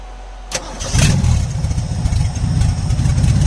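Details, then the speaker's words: 1977 Ford F-250 Supercab on its first runs since 2021, now with a carburetor gasket fitted. Cranks and fires within half a second into a loud, raw, lumpy V8 idle with harsh bark through open exhaust manifolds, no exhaust pipes. "this thing sounds like a race car it's so loud it's basically open headers or open exhaust manifolds"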